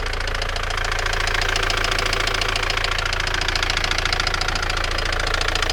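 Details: Opel Vectra B at steady idle: sharp regular metallic knock about two per second over the idle, internal engine knock of unknown origin.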